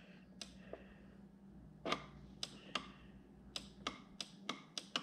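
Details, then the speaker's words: Neato Botvac D7 robot vacuum throwing a bumper error: crisp single clicks as each of the four bumper switches is pressed by hand; front two work well, one side switch needs hard pushing, dirt can collect underneath. "i'm going to be quiet and click and you'll notice the front two work really well i need to get it from this side you can hear that switch you can hear that one"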